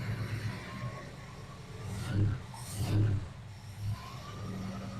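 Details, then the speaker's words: Carbureted engine idling after a new accelerator pump; a low, even rumble with a couple of brief swells and no knocks or misses, though one lifter is known to tick at times: a normal, settled idle. "this old girl is always run good yeah until the lifter goes to ticking"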